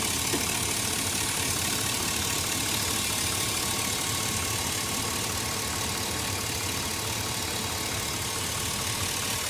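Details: 2004 Chevy Silverado with the check engine light still on and a fuel cap tighten message after the gas cap was replaced, idling. A constant airy hiss over the engine note; a vacuum leak is suspected, not confirmed: hissing at idle.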